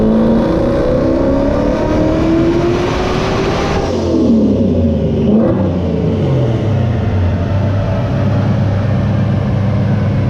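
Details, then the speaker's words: Coyote-swapped 1993 Mustang Cobra, stock Gen 2 long block, 91mm turbo, on dyno at 9 psi boost: engine pulls hard with rising pitch, then roughens and breaks up at the top end of the pull; cause not confirmed. "Definitely broke up a little bit that time. I could hear that at the top end."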